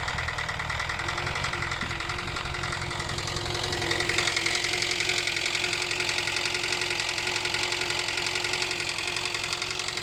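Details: 2012 Hyundai Elantra, which also stalls: a sharp, regular ticking knock, about 220 a minute, riding steadily over the idle and following engine speed. Engine knock; the source is not yet pinned down.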